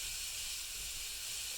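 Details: Bialetti Mukka Express 2-cup cappuccino maker not locking tight: steady high hiss with no coffee gurgle as steam escapes all around the upper–lower body joint; coffee never reaches the top, dangerous, happens every trial.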